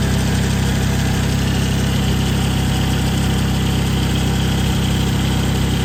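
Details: 2011 Toyota Camry at idle just after the serpentine/power steering belt, which had come off with animal nest remnants found, was refitted. Steady, even low hum with no chirps, slaps or knocks; belts running straight and true. Normal idle.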